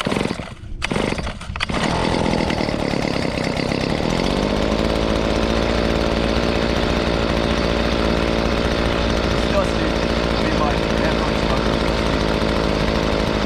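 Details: Hitachi 23.9cc two-stroke gas engine, likely the 2015 unit, with an owner-noted fuel leak: after some handling clatter it catches and settles into a steady, even buzzing run; sounds healthy.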